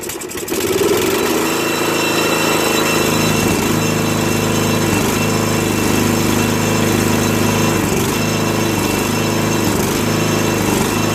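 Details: 2001 Murray Select LT riding mower after oil change and carburetor cleaning (float needle stuck open from ethanol, gas had flooded crankcase), run about three minutes: steady even engine note, no misses or surging, idling a bit fast; fixed.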